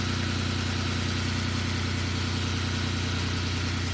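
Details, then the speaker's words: 1997 Lamborghini Diablo VT Roadster after repairing starting/running issues by adding backup grounds to the fuse box: starts well and holds a steady, even idle with a smooth low drone, no misses, knocks or stumbles; normal idle. "Yeah, so now it starts up really good now. So we got some really nice grounds on here."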